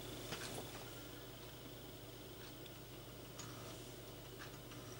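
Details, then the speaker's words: Rebuilt Commodore 1571 floppy drive at first power-on test, no error flashing on power LED: low steady motor hum with a few soft ticks as the head steps into position; servo and head positioning normal. "Tehát a szervó biztos, hogy rendben van, pozícionálta a fejet, ugye remélem figyeltétek, tudott mozogni a fej, ez is teljesen rendben van."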